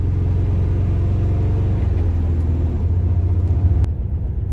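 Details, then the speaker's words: Air-cooled VW notchback flat-four daily driver, driving after the engine, transaxle and subframe were refitted and the pedal free play was corrected: deep, even rumble pulling steadily without misses. It now runs properly, far better than before. "This is considerably better. That feels a lot more like it should."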